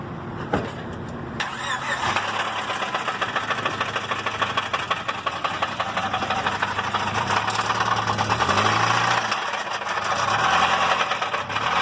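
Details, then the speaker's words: Honda EK Civic beater car cranks, catches and revs with a hard, rapid metallic knocking from the bottom end, suspected rod bearing failure (rod knock); unclear whether the engine is savable. "it's got a pretty pretty bad knock right now and uh just a little beater car"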